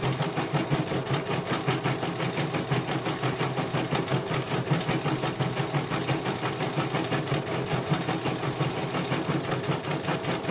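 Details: CNY computerized embroidery machine on test stitching after a repair for a motor that had not rotated at all. Fast, even stitching chatter over a smooth motor hum, no grinding or knocking. It finishes one color and the technician calls it very good.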